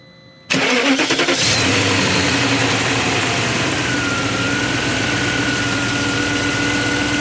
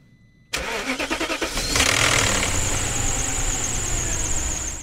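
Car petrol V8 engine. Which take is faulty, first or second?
second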